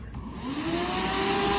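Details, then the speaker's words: SPAL pusher electric cooling fan bench-tested off a weak battery at about 11.6 volts, fan torquing in the hand: strong, even rushing whoosh with a steady tone rising slightly as it spins up, much louder than the cheap fan; normal, healthy fan run. "Oh, that's way louder. You see the whole fan move? It's like torque, torque, torque. Anyways, on shitty voltage, this is how it's supposed to sound."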